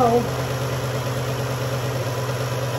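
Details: 2011 Dodge Journey 3.6 V6 after lifter and rocker replacement, cold start: steady, smooth idle with an even low hum and no top-end ticking; the earlier tick is gone and the engine runs normally.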